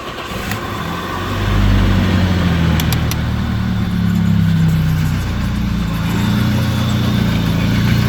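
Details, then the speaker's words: 1992 BMW 318i started after A/C compressor bearing replacement: cranks, catches and settles into a steady, even idle with no bearing whir or growl from the front accessories; the noise from the old bearing is gone, normal idle. "So everything is okay. No more load sound from the compressor bearing."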